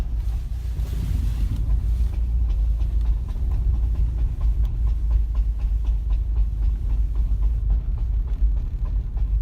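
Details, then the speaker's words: 2010 Subaru WRX creeping through a roundabout in first gear after a freeway drive: faint dull thuds and clicks over the cabin rumble; occurs at low speed in first, neutral or coasting with the clutch in, and worsens when turning. "it kind of feels it feels like it's coming from like right here like you hear the sound it's like right here kind of you know and it makes this look a little like thud"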